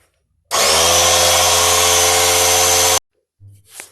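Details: Harbor Freight McGraw 3-gallon 1/3 HP 110 PSI 120 V oil-free compressor, new, during 15-minute break-in with air outlet and regulator wide open: loud steady motor drone with fast pump chatter, even and unbroken; running normally.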